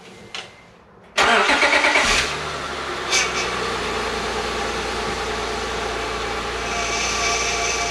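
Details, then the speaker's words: 2006 Acura engine first start after timing belt and water pump replacement: cranks, catches, settles to idle with faint steady whine from low power steering fluid; fluid to be added. "so that whining was because I needed to add some fluid to the power steering reservoir"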